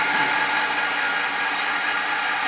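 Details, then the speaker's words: Motor running off load in a polytechnic electrical lab, working on the self-induction principle, with the supply shown as 300 V and a tachometer on the rotor shaft reading 1418 rpm: a smooth, constant whir with no rubbing or surging. Normal. "देखिए rotor के shaft पर लगाएंगे तभी जाके ये बताएगा, कितने हैं 1418 सेल्फ स्वप्रेरण के सिद्धांत पर यह कार्य करता है।"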